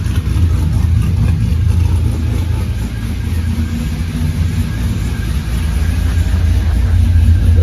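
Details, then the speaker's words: 1984 Ford F150 V8 first start after months with underhood harness out and number 8 spark plug replaced; steady rumble swelling on throttle, even firing, no knock or tick; 64 psi oil pressure, no coolant in it; normal idle and revving. "Seemed as loud as it did seem, so maybe it's good. I know I missed that noise."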